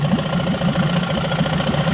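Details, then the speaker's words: 15 hp Evinrude two-stroke tiller outboard, after carburetor idle screw adjustment and new NGK B7HS plugs fixed a no-idle problem (it previously died after 30 seconds): a steady, even idle with a smooth low pulse and no stumbling. "So, it was idling for 30 seconds or so, and then it would die. And it was just a little bit of messing with that screw. Didn't take much. And now she's good to go."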